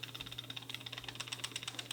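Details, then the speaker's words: Nissan 240SX (S13) axle CV joint, about 32–33 years old: quiet, rapid, even clicking about ten times a second over a thin high ring. The owner first suspected a wheel bearing; the noise is a worn CV joint. "oh yeah that is not supposed to sound like that good joint bad joint hey hey this joint is like literally 32 years old maybe 33 now"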